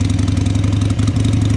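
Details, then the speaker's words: 2002 Harley-Davidson Sportster, cold, after carburetor cleaning. Lumpy, loping V-twin idle with uneven pulses about eight a second; the idle isn't settled while cold, and blipping the throttle floods it: unsteady cold idle. "yeah we'll let it warm up a bit you see when it's cold the idle isn't there yet right so when you go like that you flood it"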